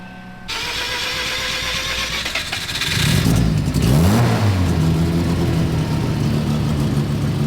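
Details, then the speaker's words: FB rotary car, started after troubleshooting, not every startup being perfect: cranks and catches, flares briefly, then drops to an even, settled idle with no misses or knocks; normal idle. "there it is like i said not every startup is perfect it takes a little bit"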